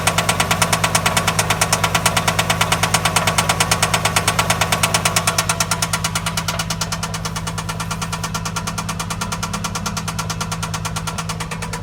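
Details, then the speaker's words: 2003 Infiniti I35 3.5L V6, 119,000 miles, startup idle, timing chain tensioner replaced, exhaust checked, no codes: sharp even tapping about three times a second; owner suspects precats, knock sensor or coil pack, unconfirmed. "2003 I35 startup. Seems like an engine knock. Chain tensioner got replaced, still there."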